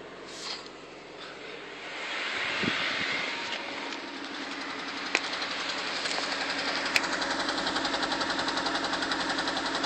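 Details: 1998 Honda Civic HX with P0301, petrol engine at idle: irregular stumble and uneven pulses, a cylinder one misfire traced to a sticking fuel injector, fixed by tapping it with a screwdriver.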